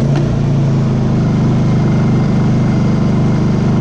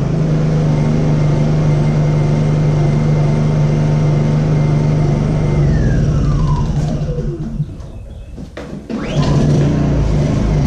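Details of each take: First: Honda EU2000i generator that had been surging at idle, after repair: engine idles at an even, steady pace with no hunting or surging. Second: Honda EU2000i generator that had started surging at idle; after startup it drops to low idle and runs rough, popping, sputtering and coughing.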